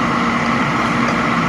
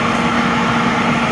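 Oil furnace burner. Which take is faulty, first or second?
second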